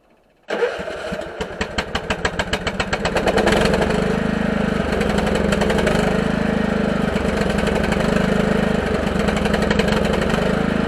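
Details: Husqvarna lawn tractor with added electric fuel pump and pressure regulator returning excess fuel to tank, cold start at about 36°F after sitting all winter: cranks, catches within a second, settles into steady even run with brief dips; healthy.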